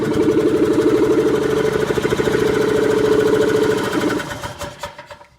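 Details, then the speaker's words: Golf cart small engine, gas poured straight into carburetor bowl via funnel: fires with quick even beat around four pulses a second, then stumbles and dies after four seconds; owner suspects out of gas, will try choke. "Might be out of gas. I'll try choking it. We'll do that again."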